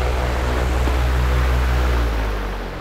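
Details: Grainger/Dayton 2MA11 24-inch ball-bearing fan on low speed, about 1250 rpm and roughly 70 dB measured at the fan, before capacitor swap: loud, steady low hum with faint blade beat fading as it slows; excessive fan noise.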